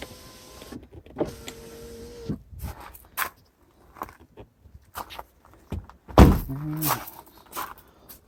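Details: MKV (MK5) VW Jetta power windows after replacing the window switches on all four doors with an aftermarket kit: short steady whirring motor runs that start and stop cleanly, no grinding or straining; window motors working normally.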